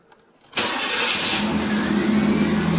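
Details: 1982–92 Firebird/Camaro after replacing the failed fuel pump and fuel tank, first start: quiet for half a second, then catches at once and holds a smooth, even idle without stumbling; fuel delivery good, problem fixed.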